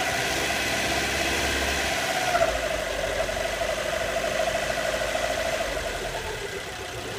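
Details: Alfa Romeo Mito running quietly with a hooting whistle coming in after a couple of seconds and holding roughly steady; source unknown, owner asking for ideas.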